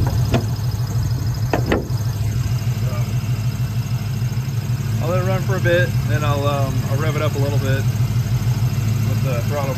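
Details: 1995 Ford Mustang GT V8 near 135,000 miles at idle; uneven loping beat with a pulse dropping out now and then. Misfire began after 300 good miles; plugs fine, owner suspects idle air control: misfire at idle.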